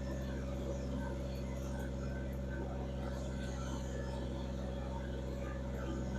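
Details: Kubota BX2360 diesel tractor, freshly restarted after both fuel filters were replaced and the lines bled; it had earlier lost power in sub-zero cold. Steady low idle with an even, unbroken rumble and no misses or knocks. Normal idle.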